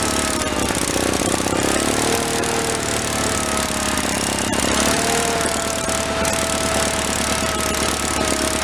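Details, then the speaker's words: 1985 Case Ingersoll 448 Hydrive garden tractor, Onan B48M/B38M twin-cylinder: steady, fast, even putter with no misses or surging, left running to warm up; fuel system pumping properly, normal running. "can let it run for a while and warm up while I put the rest of my tools away. I think we're going to have a win here."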